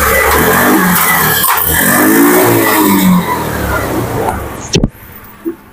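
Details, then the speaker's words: Honda Beat FI scooter with a new battery and oil, fuel pump pressure gauge fitted: it revs cleanly, then sags and dies as the throttle closes. Idle screw, EICV, TPS and injector adjustments had no effect. "tuh mati ya. Turun kembali. Hidupnya sudah mudah di setel-setel ini juga tidak ngaruh ya."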